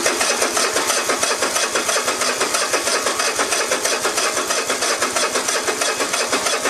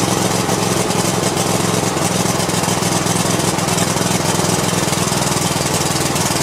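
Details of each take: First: Cub Cadet i1050 zero-turn mower with Kohler engine, left outside for years: even starter cranking at about three turns a second that never fires; fuel lines clogged and carburetor jet clogged with old smelly fuel residue. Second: Cub Cadet i1050 zero-turn with Kohler engine, abandoned outside for years, after new push rods, switches and fresh treated fuel: steady even single-cylinder beat, no misses or knocks; running normally.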